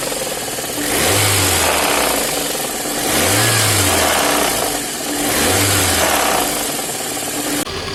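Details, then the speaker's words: VAZ 8-valve engine revving with a dull irregular knock rising with throttle; the crankshaft pulley key sheared and the damper spun fully, causing the knock and loss of throttle response. "Провернулся демпфер, как видно, вот он. Полностью повернулся. Ну и она перестала газовать. Она же и стучала."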